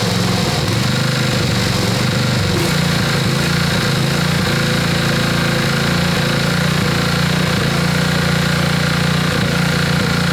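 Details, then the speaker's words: Honda GX120-powered Little Wonder edger that runs, then stutters and stops: after a first fix attempt it still surges and stumbles unevenly. The carburetor must come off to fix it. "all right so it's still happening but we have to take the carburetor off to do it"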